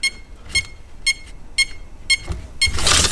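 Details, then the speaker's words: Holmes Hobbies-powered Axial Wraith RC crawler after a hard hit: clear high beeps about twice a second with no throttle and ESC flashing; ESC no-signal warning, owner suspects a lead knocked loose, found a receiver wire unplugged. "and that's what it does you've got certain low power we do not have any form of throttle now it sounds like something's just not plugged in"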